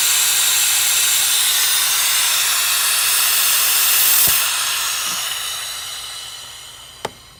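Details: Subaru Legacy GT with EJ25-type engine, aftermarket intercooler just installed, boost leak test including blow-off valve: strong steady hiss fading as pressure bleeds off; leaking at intake, blow-off valve recirculation and badly at crankcase ventilation.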